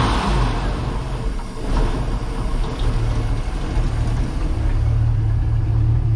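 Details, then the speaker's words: Port engine of a twin-engine project boat on first start-up after new batteries: deep, even idle rising smoothly when revved with no knocks; sounds good, while the starboard engine likely has a rod knock. "This one sounds pretty good. I'll double check it because it could just be a lifter too."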